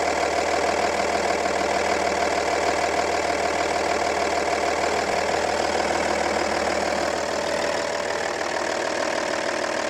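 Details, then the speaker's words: Audi A8 D2 2.5 TDI V6 (AKE) diesel idling after cylinder head work (valve guides and seat replaced): even, steady clatter, no stumble or misfire; cylinder 3 runs smoothly, correction within ±1.5. "widać że trójka chodzi płynnie, patrzymy na korektę - korekta jest też normalnie - do plus minus 1,5"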